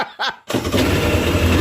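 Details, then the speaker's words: Yamaha WaveRunner XL800 two-stroke, first fire-up after fixing no power/no start/no display fault, fresh fuel in empty tank, carburetor condition uncertain: catches at once into rough popping two-stroke run with steady rumble, heavy smoke filling shop; healthy start. "she fired up but she sure smoked up the whole shop"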